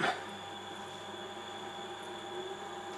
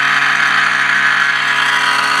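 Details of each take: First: Fan in the 8-inch Shugart floppy drive of a Cifer 2486 terminal, unused since 1982, after WD-40 was worked inside and with its filter removed: soft, steady whirr with no screech; it no longer screams and spins freely. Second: Cifer 2486 Intelligent Terminal unused since 1982, 240 V 50-60 Hz 12 W cooling fan: steady high-pitched whistling screech with fixed tones; worn fan bearing, rest of terminal runs fine.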